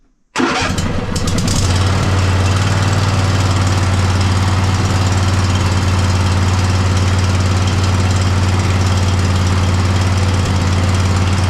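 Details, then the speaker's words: Poulan mud mower twin-cylinder engine after both plug wires were reconnected. It settles into a rough, uneven idle with a recurring stumbling beat, still misfiring. Owner suspects a fuel/air issue and plans to remove the carburetor next; cause not confirmed. "Nope. Still kind of misfiring."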